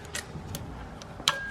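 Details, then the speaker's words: Mitsubishi Evo X turbo, hot side, turbine wheel spun by hand. Sharp metallic ticks and a ringing ping as the wheel hits the casting, with slight shaft play. Believed to be the pinging noise heard at idle; the turbo is being replaced with a new one. "Yeah, it's hitting the casting. Ooh, that does not sound good. I really think that's the sound we heard at idle."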